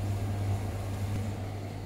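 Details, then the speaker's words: Hotpoint/Indesit-type tumble dryer after replacing the teardrop drum bearing that caused squeaking; drum now runs with a soft, even low hum, no squeak or screech; normal drum running. "if she is running nice and quiet that's the way you want it"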